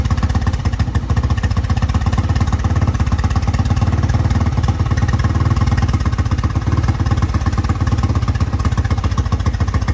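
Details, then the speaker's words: 1985 Honda XR350R single-cylinder four-stroke after sitting outside 6–7 years, first start after carb cleaning: deep slightly uneven loping idle, smoking, gas spitting from carb bottom; owner suspects carb flooding, float adjustment or bad needle. "So as you can tell guys, it does run. It's smoking out the back a little bit. I think it's flooding out some from the carb."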